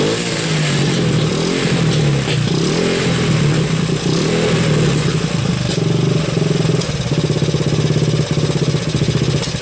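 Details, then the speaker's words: Kawasaki KLT 110 running with its carburetor overflowing and dripping fuel; revs unevenly with pops and sneezes back through the intake, said to be more fuel going into the carb. Owner thinks the float needs adjusting to stop the drip and the sneeze. "okay now guys got a whole little pop that Sheriff that's just more fuel going in the carburetor"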